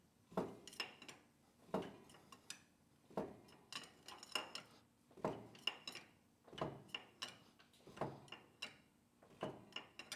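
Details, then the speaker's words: Caterpillar D6 9U diesel barred over by hand: a metallic clink about every 1.5 s, heard on cylinder four just past top as the intake opens. The owner suspects a busted piston skirt or piston slap. "so our Pistons hit the top let me verify that and we just pass the mark our intakes open now we hear the knock"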